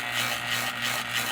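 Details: Fan motor after rewinding, running slowly with a rhythmic hissing scrape from a loose coil wire rubbing the spinning rotor; noise stopped and speed returned once fixed.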